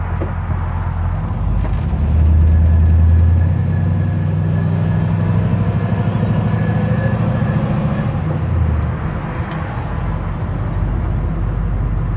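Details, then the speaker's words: Pontiac Tempest daily driver crawling slowly after maintenance; steady low engine rumble with none of the usual popping or clunking from the suspension; front end now quiet. "hm I don't hear it and I usually would right now well I'm going to keep cruising here and uh see what happens but so far I'm liking it no no popping no clunking nice"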